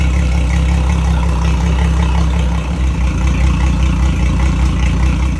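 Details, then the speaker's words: Mercury Verado outboard idling on flush ears after oil change (7.4 quarts): deep steady hum with no misses, knocks or rattles; oil pressure good, no leaks, running healthy. "All good. Oil pressure good. No leaks."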